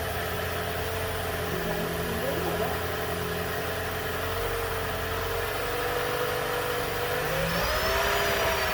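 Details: Toyota Prius after DIY spark plug replacement, plugs 29k miles past 100k life: starts and holds smooth quiet idle with faint rising whir, no misfire; healthy.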